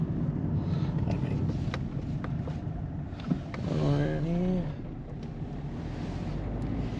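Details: 2008 Peugeot 207 1.4 turbo diesel 5-speed manual, test drive after replacing sway bar links and setting tyre pressures for clunk over bumps: steady road and tyre rumble at speed, no clunking; front suspension sounds normal.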